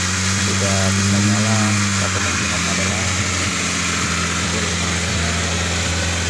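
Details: Peugeot 405 SRI that would not start, restarted after reconnecting a broken, burnt fuel pump power wire from the front relay; catches and settles into a steady, even idle with a smooth low beat and no misses or knocks. Normal idle.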